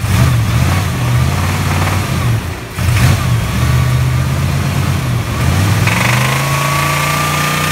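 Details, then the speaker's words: Toyota truck with 350 engine, 224,000 miles, oil changed every 3,000–5,000 miles: revs with a hard diesel-like clatter on every rev; deep engine knock, bad motor, cause unknown. "we show you what 350 motor is not supposed to sound like"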